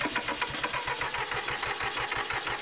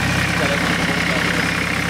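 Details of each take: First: Massey Ferguson 1010 tractor diesel on a cold start during radiator replacement, air cleaner full of dust: fast clatter with uneven, lumpy firing and a shaky beat; rough running, cause unclear. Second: Massey Ferguson 1010 tractor diesel with a newly fitted fabricated radiator, slightly leaking water: steady, even idle chug with a constant low throb and no knocks or misses; running smoothly.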